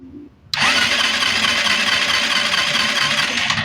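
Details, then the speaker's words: Euro 150 fuel-injected scooter that suddenly won't start, after a new spark plug: starter spins hard about three seconds with only one pop; suspected not drawing fuel, dirty throttle body cleaned next. "Start natin. Wala pa rin siyang redundo. Ayan oh. So may pumutok siyang isa."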